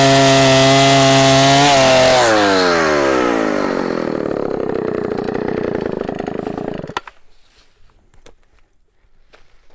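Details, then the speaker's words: 44-year-old Husqvarna L65 chainsaw with points ignition, out of retirement, cutting a big oak log: strong high whine at full revs pulls down steadily as the chain bites, then cuts off cleanly. Lower rpm than modern saws but good torque; normal cutting under load. "i really enjoyed bringing the sole saw out of retirement and cranking it up and and running it for y'all and it's amazing how well it still cuts after all it is cut and as old as it is"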